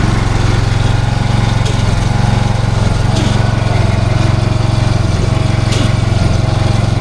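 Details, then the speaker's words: Viking T6 ride-on mower idling in park, with a fast, constant metallic rattle over the engine. It sounds like a pulley; the cause was worn pulley splines and a loose bolt under the rear transmission cooling fan, and the fan and pulley were replaced. "Somewhere in here. Sounds like a pulley."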